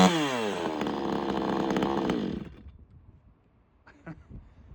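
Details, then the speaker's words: Vevor 58cc gas chainsaw, restarted after about 10 minutes off: fires easily and runs with a strong steady buzz, then drops away quickly; started easily and ran cleanly. "And it starts so stinking easy. So this has been off for about 10 minutes since Gramp left. I'm going to turn it on and we'll see how easy it starts."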